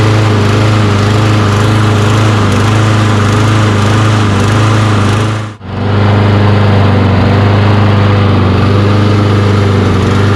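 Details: Toro Recycler mower with Kohler XT675 engine, hot, running on old fuel treated with fuel injector cleaner after carburetor cleaning: steady constant-speed beat with no surging or misses apart from one brief dip. Normal running, though it still starts hard.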